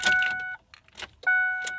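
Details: 2005 Ford F150 5.4 Triton that sat about a week: no crank, no start. Battery voltage tested fine and the relay clicks. Key chime and a faint click, but the engine never turns over; the starter is found heavily corroded.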